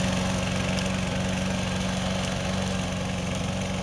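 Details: 2005 RC lawn mower (RCLM), about 12 years old, 12-volt system, tested after electric-start repair: small engine holds a steady buzzing hum at constant speed, no surging or rattles; running like new.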